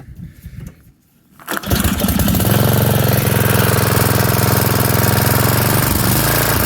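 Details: 1982 Snapper Comet riding mower with an 8HP Tecumseh engine, an estate-sale find, cranks briefly, fires and settles into a steady, even, low chugging run with no knocks or misses; healthy.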